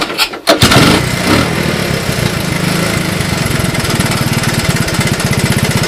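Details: Honda ATC185 three-wheeler with an aftermarket right-angle air filter; catches after a brief crank, settles into an even steady putt-putt idle, no misses; runs well, auto clutch works: normal start and idle.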